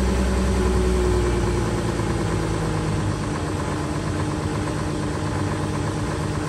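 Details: Volkswagen Touareg 3.0L diesel, cold start after standing 2 days below -30°C (about -33°C): steady, even diesel clatter with a smooth low drone and no misses or knocks; normal cold diesel idle.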